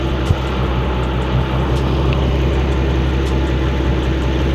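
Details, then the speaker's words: Nissan RB25DET Neo after replacing squeaky stock alternator with LS1 alternator via CWC kit, stock belt: smooth even idle, steady low hum, no belt squeal, chirp or wobble; normal idle. "Looks like the belt is there. Not seeing any wobbling. There's no squeaks going on."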